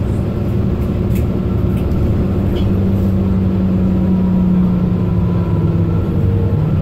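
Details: Mercedes-Benz Citaro O530 LE bus, OM457hLA 12 L 299 hp Euro 5 diesel, ZF Ecolife 6AP1700B automatic, 12450 kg: loud gearbox whine near 200 Hz rising and holding with road speed over diesel drone; only noisy Ecolife in fleet.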